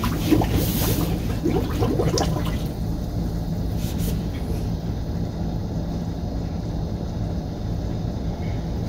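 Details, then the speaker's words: Small sump pump purging air and old dark fluid through about 300 ft of line on a new Rheem boiler install, on a non-GFCI outlet after the GFCI tripped. Steady low motor drone with early water splashing, then an even hum: running normally under load. "I didn't think about this but this is quite a lot to ask of this pump to push through 300 foot of line and backups I hope it can handle it"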